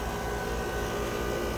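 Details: 1.5-ton York condensing unit, replaced last year, converted from leaking R22 to R410A: steady rushing hum with coarse gravelly undertone, like a rock inside compressor; broken internal compressor plate suspected, reversing flow and giving no cold air.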